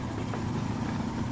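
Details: Samsung Korean car, owner's complaint hard starting and no power, after repair now driving forward and reverse fine; low steady idle with even beat, no stumbles or knocks; normal idle.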